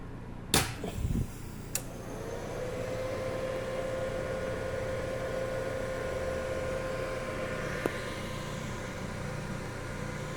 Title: Test run after repair - Servodrive WEG SCA05